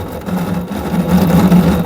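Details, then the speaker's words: Samsung 7 kg top-loader washer (abnormal noise, drum not spinning), new drain motor fitted after old one failed, powered for test: steady low hum holding even, no grinding or buzzing; drain motor working. "motor is okay, it's working. You can see."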